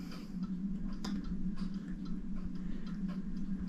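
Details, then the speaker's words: French Crystal Regulator clock, checked working before disassembly for shipment: even, regular ticks at about two per second over a quiet room hum, no skips. Normal ticking. "Okay, so this is what you can hear it ticking. This is the clock that I'm sending you."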